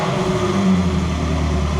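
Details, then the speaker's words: Ferrari 360 revved after fixing misfire (previously misfiring, no check engine light, cylinder 7 coil already replaced): engine climbs smoothly through a short rev with even note, no stumble or hiccup; ignition firing cleanly. "I bet you I bet you I can actually rev it without it stumbling, too. Oh, yeah."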